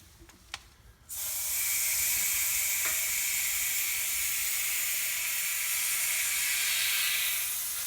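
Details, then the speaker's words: Garage compressed-air aftercooler line pressure-tested at about 75 psi: sudden steady high hiss from a leak at a threaded pipe fitting, blamed on too little thread tape. "I hear a leak. I got a leak up there. Oh, crap."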